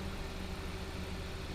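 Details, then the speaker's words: 2018 Kia Rio S started after an oil change, warned it might sound clicky at first: low, even idle hum with a steady tone and no ticking or knocking. The car has no oil pressure gauge. Normal idle. "Go ahead and fire it up. Just make sure it's, yeah, you know, it might sound clicky for a minute."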